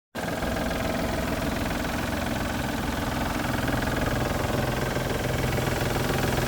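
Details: 1999 Isuzu VehiCROSS, 127,000 miles, idling with loose, uneven knocking about three or four a second, a month after timing belt tensioner and seal replacement; cause: collapsed timing belt tensioner and water pump, fixed.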